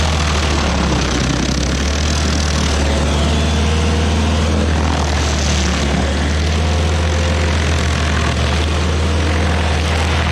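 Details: Rebuilt-motor stump grinder on a willow stump, its first job: strong deep steady drone holds speed as the cutter bites, with grinding-wood chatter on top; engine pulls well. Oil on the heat shield cover burnt off.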